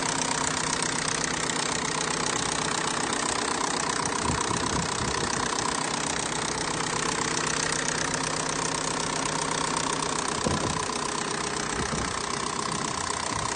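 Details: Big-turbo-built FSI engine at idle, noisy since the build: a faint regular light tapping over the run and a whiny tone near 1 kHz; unknown abnormal noise, cause unclear.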